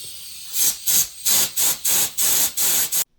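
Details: 2007 Honda Civic Si turbo with low oil pressure, oil pan off: sharp repeated bursts of hissing compressed air blown through oil feed lines to clear them.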